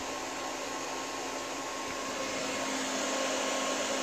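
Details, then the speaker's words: APC XS 1300 desktop UPS reassembled with the temperature sensor reconnected. A steady, even airy fan whoosh with no rattle or error beeps: running normally on mains with no error, estimated runtime 14 minutes. "happy three mics and whatnot clearly there's no error"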